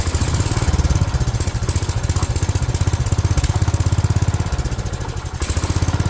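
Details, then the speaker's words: 1970s AMF 1414 barn-find garden tractor, first run after a no-spark fix and fresh oil: single-cylinder chugging at fast idle with some weaker beats and brief sags. It sounds fuel-starved; owner suspects the fuel filter style doesn't suit its fuel pump. "So, as you just heard or saw, it is running. Um, sounds like it's not getting enough fuel."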